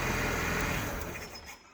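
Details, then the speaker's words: 1980 Suzuki LJ80 barn find, first start in 15 years: with the battery disconnected the rough-running engine dies within a second or two, because no charge comes from the alternator to power the ignition; alternator not charging. "yep that's because there was no charge coming from the alternator to run that ignition system to make those spark plugs spark"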